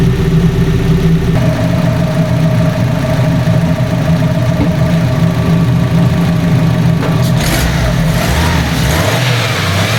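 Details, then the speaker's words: Fiat 500 engine running for the first time after a DIY timing belt replacement, cooling system not yet bled or at temperature: smooth even idle, then clean free revs rising and falling; sounds healthy, belt change successful. "Sounds good, guys. Sounds sweet as a nut. I think I've successfully changed the timing belt."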